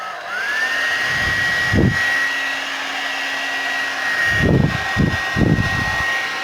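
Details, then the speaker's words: Suzuka hair dryer that would not turn on, after freeing its stuck power switch: steady airflow rush with even high motor whine at constant pitch, few handling bumps; running normally. "Bueno gente, ahí está resuelto el problema, solucionado el problemita que tenía, hemos solucionado, así que ahora vamos a ensamblarla de vuelta."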